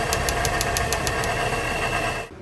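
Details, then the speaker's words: Honda S2000 with freshly installed new OEM F20 short block and new head, at idle: light even ticking about six times a second; aluminum shavings found. "okay so we ran into a problem after finishing it when it was idling here we're checking everything and checking the AC and everything was good but it had a slight tapping"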